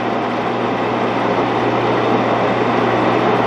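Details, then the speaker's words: 16-inch Axelson lathe that sat out in the weather, running: smooth constant low hum with even gear whirr, no knocks or grinding. Runs healthy, though the spindle brake is not engaging, which oil is suspected to cause. "The spindle brake's not working, but this sounds pretty dang good. Being out the weather like it did, I think it sounds great."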